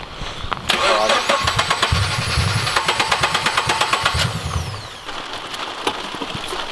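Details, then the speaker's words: Subaru BRZ with UEL header, dead after hard driving, cranked after battery reconnect: starter turns steadily about three turns a second, never fires; owners unsure if no fuel or no spark, has air. "that is literally getting no fuel or it's not getting it's not it's not getting spark or fuel that's one of the two"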